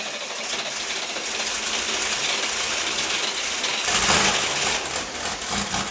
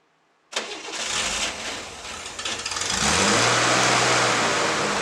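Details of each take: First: 1960s air-cooled flat-six project car after carburettor adjustment and reassembly: the starter churns the engine over for several seconds with a steady beat but it never fires. Cranks but won't start. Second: 1960s air-cooled flat-six project car, after carburetor tune-up and transmission fluid top-up: cranks, catches, briefly stumbles, then settles into a steady, even idle; runs better than before.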